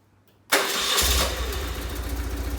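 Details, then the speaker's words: BMW R850R after fuel pump assembly reclocked, previously cranked endlessly without starting unless sprayed with carb cleaner: click, starter whir, pump audible, engine catches briefly on uneven low firing pulses; slow, hesitant start. "let's see if she fires up because it would crank for days and nothing unless i sprayed goo in there or um carby cleaner you can hear the pump"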